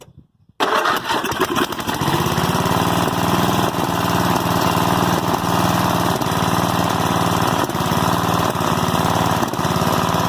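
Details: 1988 Westwood T1200 ride-on mower, 12 hp Briggs & Stratton single-cylinder petrol engine, after governor spring replacement: fires after brief crank, steady even beat at a fairly fast idle; runs right, idle slightly high.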